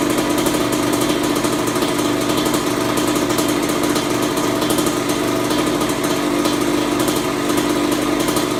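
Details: Kawasaki KX100 two-stroke, first start after full engine rebuild with OEM stator, idle and air-fuel mixture adjusted: crisp, busy buzz holding a steady fast idle with no misfires or stumbling; normal running.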